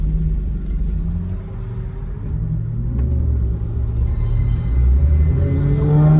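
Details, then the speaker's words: 1995 Nissan 300ZX Z32 after automatic-to-manual swap, test drive under acceleration: deep steady rumble climbing evenly with revs through the gears, no knocks or misses; healthy, all 5 gears shift fine. "All right, so I'm back from my test drive, and everything went good. It ran really good, and it seemed to go through all 5 gears perfectly fine."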